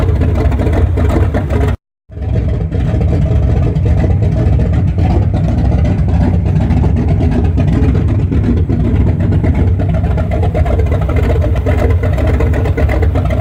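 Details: 1974 Chrysler Newport with a slightly tuned 440 V8, first start after a rebuild with new bearings, open headers, phone-recorded: a loud deep idle with a short cut-out, then steady revving with even firing and no knocks; healthy.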